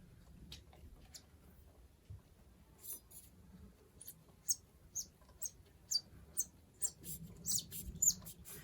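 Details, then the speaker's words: FX Wildcat MK3 air rifle with the shroud being screwed back on during a caliber swap. Short high chirping squeaks come from dry threads that need silicone grease. "and this is actually kind of dry i can hear it squeaking putting it back on"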